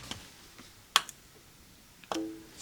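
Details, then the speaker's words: Used PC on an AMD FX platform, suspected of mixed power supply cables: pressing the power button gives only a faint single tick, then nothing spins up. No power on start, from a failed power supply unit. "All right, flick the power switch, and let's hit the power button. I heard a tiny, tiny little noise, and nothing."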